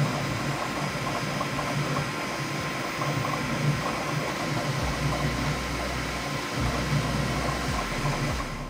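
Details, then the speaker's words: Bambu Lab P1S on firmware 1.05, printing the same test cube a third time after a full auto calibration: even fan hum with busy stepper buzzing as the head moves; normal printing noise. "so that was pretty loud and that is a sound that I'm very used to"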